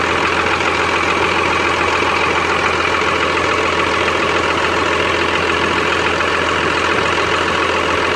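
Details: Cummins 12-valve diesel, rebuilt .040 over, timing about 16°, new fuel filters, lift pump and overflow valve: loud, lumpy idle with about 85 stumbles a minute. Misfire that worsens after a few miles until it dies; cause unknown.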